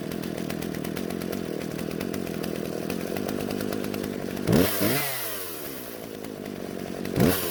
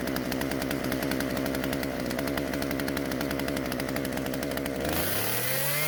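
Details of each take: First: Husqvarna chainsaw, originally wouldn't start, after carburetor adjustment (L and H screws turned out slightly for more fuel so it won't stall): high steady two-stroke buzz bogging into wood then recovering cleanly; runs healthy. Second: Husqvarna chainsaw after carburetor metering diaphragm replacement: holds a fast buzzing rev, then sags and dies instead of idling; won't idle, low-speed L screw mixture needs adjusting.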